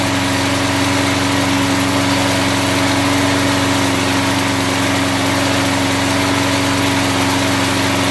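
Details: Mower engine running on car wax instead of oil, around the 10-minute test: a steady, even fast beat with faint mechanical clatter, compression sounding weak; wax hardened, with hardened wax in the piston rings suspected of causing the compression loss.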